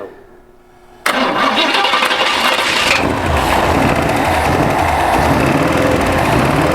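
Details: 1953 GMC pickup, first start during bodywork repairs, with starting spray and the throttle opened: it fires abruptly after a quiet lead-in, then settles into a strong, even run that revs cleanly; a healthy engine.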